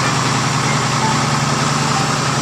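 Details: Boat repower, a newly installed Cummins 6BTA diesel replacing Perkins TV8.510M, just after first start: steady diesel idle with an even, low clatter and no misfires or knocks; running smooth and healthy.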